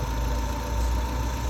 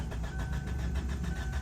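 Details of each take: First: 2007 Kia Sportage 2.0L that cranked but would not start; fuses and ECM main relay were checked good and a new control board was fitted. Now started, it idles with a steady, even low hum and no misses, knocks or ticks. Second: 2007 Kia Sportage 2.0L cranks but won't start; fuses, ECM main relay and control board checked OK; steady starter cranking with even compression pulses that never catch; sensors losing their supply is suspected.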